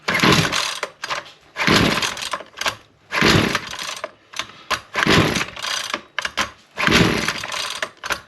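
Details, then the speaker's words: Husqvarna 128LD two-stroke trimmer that only runs on choke, on choke and primed after drying off: repeated cord pulls, each a brief sputtering burst that dies without catching; hard starting, possible moisture in cylinder suspected, cause unconfirmed. "She's not really wanting to."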